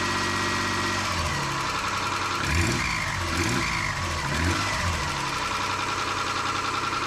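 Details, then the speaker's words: 1995 Nissan Pathfinder WD21 petrol engine briefly started after timing belt replacement, with no cooling, belts or fan fitted: rapid, sharp puffing tick over the exhaust note from an exhaust leak at the back. "Hear that exhaust leak back there? That's aggravating."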